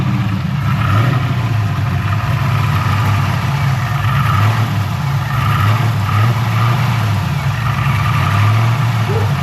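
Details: LS-swapped Infiniti G35 V8, first startup after work with MSD plug wires, jump-started on a low battery; lumpy, stumbling idle, rough running, possibly a light misfire or fuel delivery issue suspected, no scanner codes.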